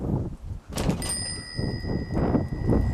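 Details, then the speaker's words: Bicycle drop test during a pre-ride M check: bike lifted slightly and dropped, giving a single solid thump with no rattling from frame or fittings; only rattle heard was the lock inside the helmet. Healthy bike. "and that sounded good the only rattling i could hear was that lock inside my helmet"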